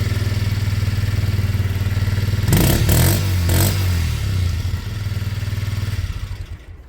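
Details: Kymco Zing 125 scooter after its running issue was sorted: a steady thumping idle, then quick clean blips that rise and fall, back to an even idle; runs healthy.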